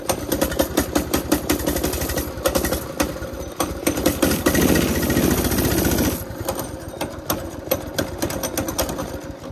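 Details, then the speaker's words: Baja Warrior small single-cylinder, long-sitting, cold start after a zip-tie fix, putters at a quick uneven beat, stumbling and surging at idle. Owner suspects a dirty carburetor and the cold engine. "Let's see how it goes now. Probably need to clean the carburetor. It's been sitting a long time."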